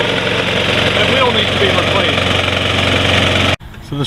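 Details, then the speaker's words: Snapper Big 6 P216012 self-propelled mower with new rear wheels running steadily with a harsh metallic scraping; the self-propelled drive wheel's rubber is worn away and its metal rubs the pulley. "this drive wheel is completely worn out the metal is running against the pulley here which is making that noise"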